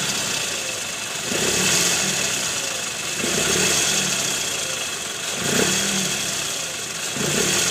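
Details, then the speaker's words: 2008 Toyota Previa at 186,000 km after replacing the worn balancer shaft and bearings, heard from beside the car: smooth, even idle with no roughness. "Oke Guys aman suara mesin udah halus"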